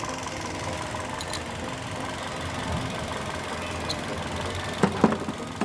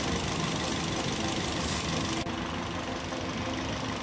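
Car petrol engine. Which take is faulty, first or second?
second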